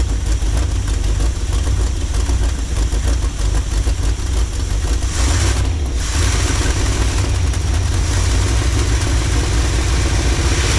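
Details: 1986 Chevy G20 van, sitting for 5 years, first running after reconnecting the ignition computer restored spark: a loud, deep, rough V8 rumble with a brief rev. The unmuffled blat points to a rotten, leaking exhaust, probably needing a rebuild.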